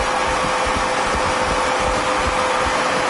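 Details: Harrison M400 lathe with 2.2 m bed after a full strip-down service, running at 250 rpm: steady, even whir with a faint constant tone and no knocks or grinding from spindle and gearbox; normal running.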